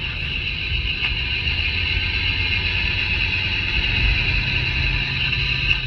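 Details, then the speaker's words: Mercedes W163 ML at about 40 km/h, chassis-ear sensor on front differential: constant high-pitched whine resembling a front wheel bearing, traced to the front differential; carrier to be replaced. "The noise that I'm hearing going down the road that sounds like a front wheel bearing is coming from the front differential."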